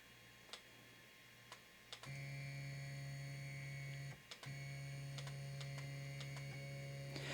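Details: Used Trinus 3D printer with a hard-to-adjust z-axis (max height 120 mm) after homing: steady low motor drone with a clean whine, a brief mid-move pause, then even resumption; normal z-axis travel.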